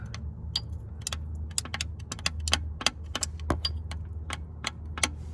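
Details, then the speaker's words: 1998 Subaru Legacy Outback engine opened for inspection: rocking a connecting rod by hand gives sharp, uneven metallic clacks from a worn rod bearing with excess clearance. Several rod bearings are bad, and the engine is judged toast. "that doesn't sound good either and there's another one in here and that one sounds even worse so pretty much the engine's toast"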